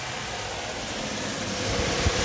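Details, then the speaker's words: Chevy Express 3500 van, 6.0 LS V8, 201,000 miles, six-speed automatic, floored and in reverse: engine revs freely as if in neutral with no load; transmission slipping. "oh it's slipping everywhere oh we can't go anywhere I am floored all the way oh there we go this thing is just totally slipping now"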